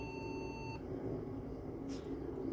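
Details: Early-to-mid-2000s thrift-store Pentium 4 computer, dirty and never cleaned, first power-up: one steady high-pitched beep over a low fan rush, then it stops; POST beep code, suspected RAM problem.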